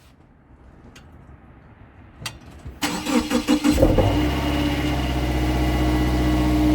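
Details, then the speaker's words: 2016 Subaru Outback four-cylinder, about 80,000 miles, warmed up, phone under car at rear driver side, low idle in gear: faint taps then steady idle with tinny buzz from inside the muffler, possibly a failed spot weld on a baffle vibrating. "the noise is coming from the muffler from inside so apparently I found out that There's issues with that because between the process of heating and cooling a spot weld within or on a baffle inside the muffler could fail causing this vibration"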